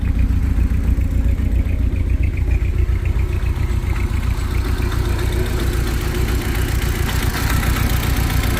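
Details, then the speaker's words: Mk1 Audi TT with hybrid turbo, restarted after a sheared timing belt was replaced with a racing belt: lumpy, uneven idle with a loping beat about every quarter second under a deep exhaust rumble; misfire, owner suspects bent valves. "she starts right up but you hear miss fern"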